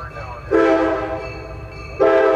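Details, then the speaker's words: Nathan M series locomotive air horn, number four bell being field-tuned: two clean, steady blasts with a pure, even tone and no buzz or flutter after going from buzzing; the diaphragm now seats and gives a clean note. "now you hear hear that go from a buzzing to a clean note"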